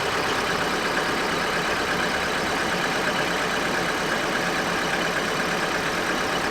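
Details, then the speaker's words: Vauxhall Astra after new spark plugs and an O2 sensor replacement: an even, steady idle, much quieter than before, with no misfire or knocking and slight belt squeal; the engine sounds healthy. "that is way quieter oh my God what right I'm not sure why but you can definitely hear on camera how much quieter the engine running"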